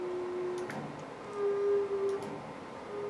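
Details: STEPPERONLINE Nema 23 integrated servo motor (90W/180W) on a CNC mill axis: a steady mid-pitched hum that comes and goes while holding position, pitch shifting slightly; owner finds it strange.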